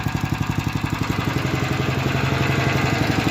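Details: Engine at idle: sharp, evenly spaced ticks about four a second over the idle, a top-end knock; owner suspects valves, cause unconfirmed, engine was fine last year.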